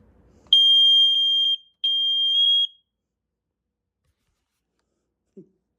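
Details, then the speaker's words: Sears 246.57044 gas alarm, unboxed and tested: two long, shrill beeps about a second each with a short gap, a pulsing alert tone. "the sound pretty close you know this has a pulsing"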